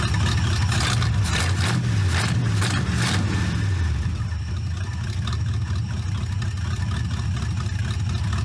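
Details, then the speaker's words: C4 Corvette kart V8 after idle mixture screws set 1.5 turns out on all four and tune-up; starts easily without pumping gas; steady even low rumble, no misses or knocks; normal idle. "runs starts easy never pump the gas to start it up you know you can use a good carburetor tuning but I'm pretty happy with it how it is now"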